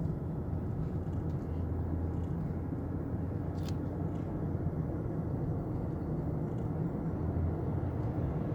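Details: 2009 Lexus LS460 that rattled over rough roads, test drive after underbody repair of a burst fluid-filled front component: steady road and tyre rumble with no clunks or rattles; noise fixed.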